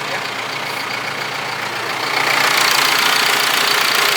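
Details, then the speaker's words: John Deere 6115R tractor bought sight unseen at auction, 9,137 hours, first start with battery a little low and a warning light on: steady, even idle with hissy top end swelling slightly partway, no knocks or weird noises; normal healthy idle. "There's no weird noises or anything. That's a good sign."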